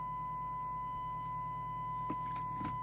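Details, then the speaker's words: Skiptech TI4000FM CB27/81 CB radio on receive with a signal-generator tone, before detector coil adjustment: a steady high tone through the speaker sounds slightly strangled; the FM detector is confirmed slightly out of alignment. "it does sound like the detectors out it sounds a bit strangle minutely out"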